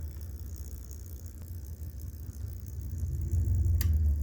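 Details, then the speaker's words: Refurbished Reading Lines HO-scale RDC, older Athearn unit with newer motor, after cleaning commutator and brushes and replacing 1/2 motor mounting pads; bench test shows a quiet, smooth low whir that crawls evenly without stutter or grinding. Normal low-speed running. "Wow, can you hear that? Not really? Yeah, that thing is so quiet. Can you hear that? Barely, right?"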